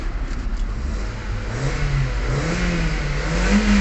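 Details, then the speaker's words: Kia Soul gasoline engine after fuel pump replacement fixed hard starting (previously 8–10 s cranking): revs pick up cleanly and climb smoothly with no stumble; RPM back to normal. "Okay na rin yung RPM niya So back to normal na fuel pump nga lang"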